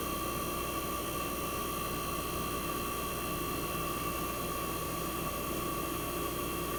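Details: 1965 Fedders Weather Wheel air conditioner, first cold start of 2023 in a very cold shop after the thermostat warmed: compressor runs smooth and very quiet, steady even hum, about 59 revolutions per second, starting to build head pressure; normal.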